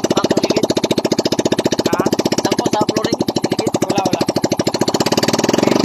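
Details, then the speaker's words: Yamaha Mio Soul i 125 scooter after repair of a rear wheel lock-up: gears refitted, new bearings, torque drive, belt, gear oil; single-cylinder idle with steady even firing, no grinding or clunks from rear drive; repair successful. "So yun na guys, naging successful ang ating pag-ayos sa motor ni bossing."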